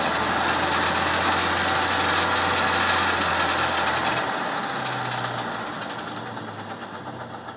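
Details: 1998 Jeep Wrangler TJ four-cylinder, revved, heard from inside: steady knock about three or four a second; owner unsure if lifter, piston skirt, engine knock or transmission; Lucas oil stabilizer added, quieted it only slightly.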